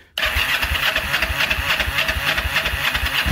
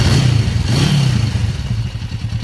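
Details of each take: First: 1994 Kawasaki Vulcan 500, 12,266 miles, second start in 3 years, cold start on choke; catches rough, dies, sputters then refires, both cylinders warming; slow cold start, carb rebuild planned, cause unconfirmed. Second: 1994 Kawasaki Vulcan 500, 12,266 miles, second start in three years, after oil and filter change, air breather clean: steady, even low twin thump at idle with some mechanical clatter, noisy but idling well; normal idle.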